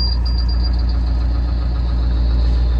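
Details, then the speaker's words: Bus engine idling cold in below-zero weather: low, steady rumble with an uneven, irregular knock; the source is unknown, and the owner plans to disconnect things to find it. "there goes that noise I don't know what that noise is if you watch my last video that was my first time discovering it but yeah it's not a fun noise I'm gonna have to figure it out and disconnect some things"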